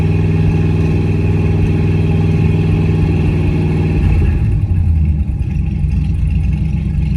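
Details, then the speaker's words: 1965 Cadillac Coupe DeVille V8, first start after rebuild, timing 8° advance, running with no exhaust: loud open-pipe idle with lumpy beat and occasional stutters; idle stumble, owner suspects carburetor adjustment. "I last had it running with a mostly full exhaust, so I think I just need to tune that little stumble out of it. She sounds pretty good though. Little bit of stutter."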